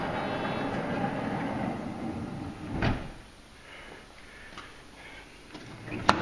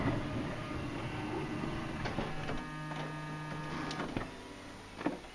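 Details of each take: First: Honda Odyssey van power sliding door, first try after latch reinstalled during repair: motor whirs about three seconds, then a soft clunk and light taps; door closes but latch never catches, not locking or releasing properly. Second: Honda Odyssey van power sliding door, during latch repair: quiet electric motor whirs steadily a few seconds, then firm clunks as the latch pulls the door shut. Latch working properly.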